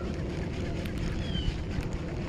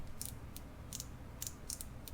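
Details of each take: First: KastKing Valiant Eagle baitcasting reel right after landing a fish: short high screeches as it turns, then a harsh sustained whine that stays even with the drag loosened. Internal damage suspected. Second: KastKing Valiant Eagle baitcasting reel, bought for $25: light, crisp, evenly spaced clicks as the spool tension knob turns, each detent distinct; the spool tension adjuster works properly with a decent audible click.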